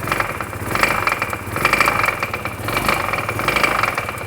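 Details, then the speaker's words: Vespa/Piaggio scooter idling with the drive belt disconnected to rule out transmission noise, after running out of oil: fast, sharp knocking tap, a rod knock, quiet at idle; it locks up when brought up to speed. "so that's a rod knock that specific noise right there so when it's idling is pretty quiet"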